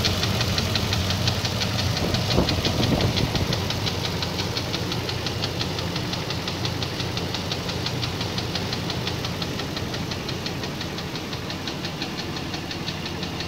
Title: VK56DE engine knocking